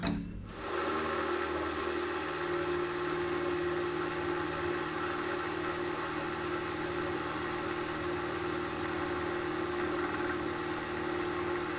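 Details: Mill spindle after repair, cutting at 1 mil depth of cut with a possibly dull cutter: steady, even whir with constant tone, no chatter or knocking, much better than before repair at the same depth; normal milling cut.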